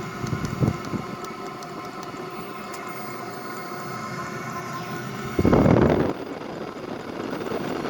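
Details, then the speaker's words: Wippro 5-8 kW Chinese diesel air heater, first start without priming, for a 2000 5.9 Cummins Freightliner MT45 van: steady blower whir like a jet winding up with light, even ticking underneath; exhaust clear, warm air. Normal running. "sounds like the jet engine is winding up exhaust is clear oh yeah definitely warm coming out of there"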